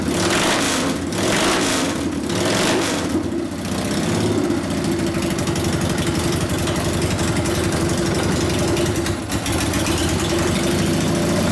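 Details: 1999 80ci Evo V-twin, first start after rewiring: uneven idle stumbling and surging, won't settle; idle mixture 2.5 turns out, owner thinks it needs more fuel via larger low-speed jet and suspects accelerator pump not working. Rough idle.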